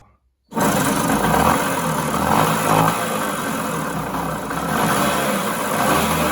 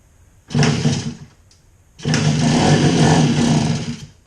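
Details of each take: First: 1966 Bridgestone 60 Sport two-stroke that sat for 50 years: a rough, gravelly growl under the exhaust note rises and falls with revs; the main bearings are worn out and the crankshaft moves up and down. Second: 1966 Bridgestone 60 Sport two-stroke that sat 50 years, first start after crank bearing and seal rebuild, running on a little chainsaw gas in the carburetor: two short bursts of even running, each catching cleanly then dying; fires fine.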